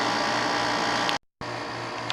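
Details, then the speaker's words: 1995 Carrier VisionAire A/C after clean-out, about three and a half hours into a test run: even, steady fan rush over a smooth low hum, no rattles or surging; still blowing cold, possibly cycling. "i suppose it works it's blowing cold still"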